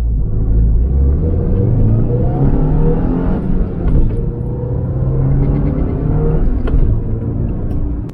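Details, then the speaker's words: 2006 Subaru Impreza 2.5L single cam after head gasket job: engine lingers flat then swells late on throttle, lacking power even at higher rpm; sluggishness across the range found to be a dirty MAF sensor. "should be more pickup as soon as i'm you know near the throttle so it's it's lacking that tiny bit of power even a little bit at higher rpms"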